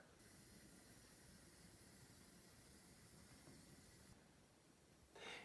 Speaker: anyway what this hissing sound means right here uh it means that we need to actually fill this pro this fill valve